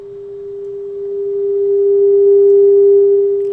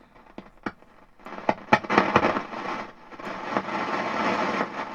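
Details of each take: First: Hallicrafters SX-42 receiver audio amplifier after rewiring it to the schematic: a steady, pure tone around 400 Hz with no hum, crackle or distortion. The amplifier output is clean and working properly, though the receiver is still weak. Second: Hallicrafters SX-42 receiver with RF amplifier tubes pulled: irregular sharp pops and crackles over hiss, worsening with sensitivity control setting; suspected silver mica disease or noisy resistors.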